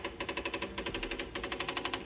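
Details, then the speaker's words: LiftMaster Pro 1/2 hp garage door opener, just plugged in: a fast, even snapping at about eight clicks a second with no motor hum while the light strobes. A faulty logic board is suspected; replacement board 41AC050-1 is being tried. "the complaint today is that the motor is making a snapping sound and the light is strobing when you plug it in"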